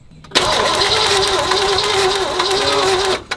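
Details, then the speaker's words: 1962 Lincoln Continental, original one-owner car with points ignition, broken down on first drive after long storage. A few seconds of steady even cranking with no firing; points seen moving but no spark observed. "see this old boy has points in it never seen a set of points ever no spark I don't see it though"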